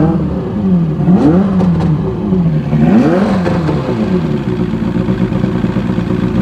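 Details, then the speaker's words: Evinrude Starflight 100hp two-stroke outboard revved out of the water: crisp rasp climbing and falling cleanly with each throttle blip, ignition advancing with throttle, no misses or knocks; normal running. "so it's a big Improvement it runs great uh it's awesome uh really badass sounding"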